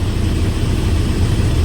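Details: Mercedes truck after the AdBlue fault repair and a restart to clear faults: steady, even low diesel rumble at idle with no misses, knocks or hunting; normal, healthy idle.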